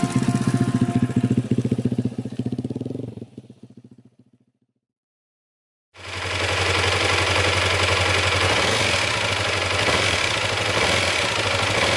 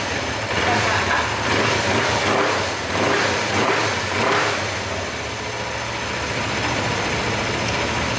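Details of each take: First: Motorcycle engine after repair work with earlier clunking fixed: fast, regular metallic clatter over the idle, fading on shutdown and returning on restart; worn balancer gears rattling inside, not from the bearings. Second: Motorcycle engine idling evenly after replacing the balancer gear, with slight intake hiss and no rattle or knock; the earlier ticking noise is gone, normal idle.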